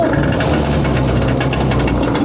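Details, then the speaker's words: New Hangkai 40hp two-stroke outboard, started with choke on: fast, uneven buzz with loose clattering rattle right after start-up; runs rough, shakes a lot and smokes a good bit. "All right, so she is running, and it shakes. It's definitely a rattly 2-stroke. It seems to smoke a good bit."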